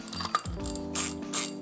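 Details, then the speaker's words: Fin-Nor Megalite MLS60 fishing reel after full service, shaft wiped and Penn reel grease applied at the line keeper: crisp, loud ratcheting clicker bursts as the spool turns, much nicer than before; clicker engaging properly. "Now let's go ahead and wipe the shaft down a little bit just so we can test that spool out and see how that clicker sounds."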